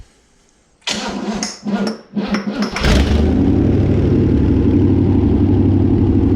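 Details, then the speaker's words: Barn-find 327 V8 stored since the early 1990s, first start on a run stand with the original mechanical fuel pump: cranks, catches, then settles to an even idle with a steady light tick about four a second; small exhaust leak plus suspected valvetrain noise. "a little bit of an exhaust leak in here but uh I think it's more than that I think I am feeling a little hearing a little bit of valve train noise"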